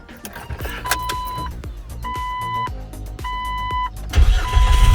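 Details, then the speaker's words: Jeep just after starter replacement: short crank with chime beeping, engine catches immediately and runs without stumbling; very powerful start, fired right up. "that start is nuts. Unbelievable. Fired right up. That was a really, really powerful start."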